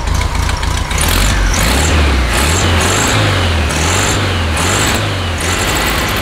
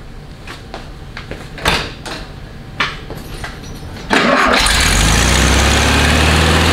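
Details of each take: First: 1969 VW Beetle after replacing NGK plugs with the correct gapped plugs, choke partly on at first: air-cooled flat-four revs freely and evenly, no stumble or miss, no smoke; normal running. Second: 1969 VW Beetle catches to a loud idle with slight unevenness, skipping and coughing, and won't take full throttle; misfire from wrong-heat-range spark plugs, before fitting the correct plugs.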